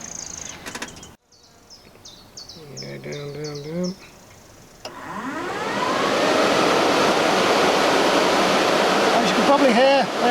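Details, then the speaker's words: Newly fitted electric engine cooling fans on Project Awesome, engine off, on temporary 24 volt feed, thermostat turned down to ambient on a hot day: fans spin up to strong steady whoosh; normal operation. "I should be able to down the thermostat right away down to ambient temperature and then the fans will kick in"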